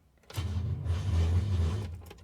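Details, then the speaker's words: Holden HK with high-torque starter motor that previously worked, restart attempt: low laboured churning under two seconds, never catches; slow cranking, cause unknown, owner considering another starter motor. "Right, that's one fuck starter motor. I don't know why it's making that noise."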